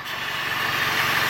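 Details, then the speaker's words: Toyota Corolla idling with a system-too-lean P0171 code, carb/brake cleaner sprayed around the intake to find vacuum leaks: even steady idle with no rise or dip; no leak at this spot; owner suspects the PCV valve. "and we're looking for any change in the engine not hearing anything from there"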